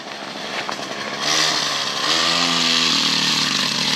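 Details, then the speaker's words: Original GoPed small two-stroke not run in over four years: buzzy revs, then pitch sags and stumbles under throttle instead of climbing, engine bogging down and weak. "you can hear, it's like bogging down."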